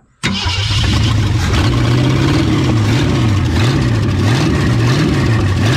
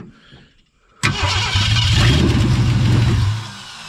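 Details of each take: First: 1963.5 Ford Galaxie 500 hardtop, 390 FE V8 with prior no compression on #1 and blown-off oil filters, fires up and settles into a strong, even rumble with slight speed rise and fall; oiling properly, running healthy. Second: 1963.5 Ford Galaxie 500 with 390 FE V8, no compression on #1 cylinder, freshly rebuilt carburettor: starter cranks steadily about three turns a second with no firing; fuel pump dry, out of gas.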